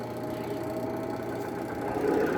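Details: Hitachi washing machine after repair, spin motor restarted after lid closed (brake removed): steady even hum, low mains drone, no knocks or scraping; spin motor running normally.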